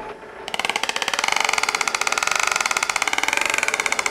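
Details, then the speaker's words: Driveshaft test rig with the suspension fully extended, sharply bending the U-joint: the transmission turns at constant speed but the driveshaft speed oscillates, a fast mechanical clicking with wavering pitch fed straight into the differential. "do you hear the pitch change this bent U joint is causing the drive shaft speed to oscillate isn't that crazy and the oscillation is going straight into the differential"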